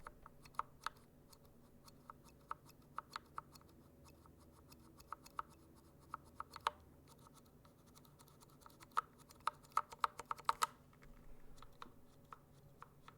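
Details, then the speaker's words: Glorious Panda switches in a RamaWorks Koyu case, lubed: irregular key taps, each with a thin metallic ping, worse when pressed off centre; the switches tick, and the owner suspects too little lube. "But there's a ticking. Do you guys hear that tick?"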